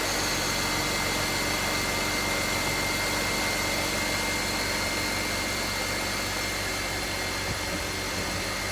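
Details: BMW X3 E83 after oil leak repairs: steady, even idle with smooth unchanging beat, no knocks, ticks or misses; runs and sounds good, everything hooked up.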